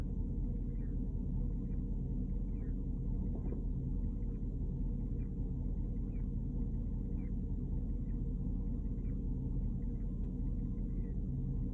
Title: 2010 Porsche Cayenne GTS strange chirping noise